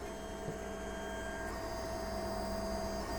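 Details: JGMaker Magic 3D printer, bed at 50 and nozzle at 200, printing from SD card after first-try leveling: steady soft stepper whir with constant tone, no knocks or grinding; first layer going down smoothly.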